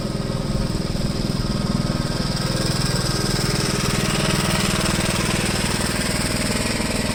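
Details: 1973 Gravely C8 walk-behind tractor, donor single-cylinder engine after a swap and ignition timing, with the plow attached; earlier backfiring has cleared. Steady chug at about four beats per second, even and unbroken with no pops or backfires: running clean now.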